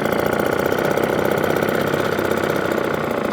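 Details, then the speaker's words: Atco kick-start mower with Villiers Midget two-stroke engine, idling at its lowest before cutting out; a quick, even pop-pop putter with a steady beat and no misses. Runs cleanly. "what more could you want from my idle machine because it's two-stroke you just worry about how low the item goes but that's about as loud as it'll go before it cuts out"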